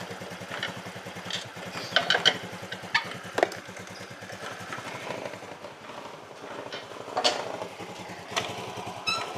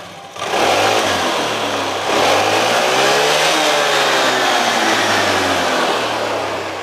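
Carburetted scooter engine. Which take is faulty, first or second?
first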